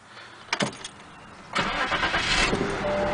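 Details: BMW that cranked but would not start, after replacing the fuel pump relay: brief starter whir, then the engine catches at once and settles into a steady, even run. Normal start after the repair.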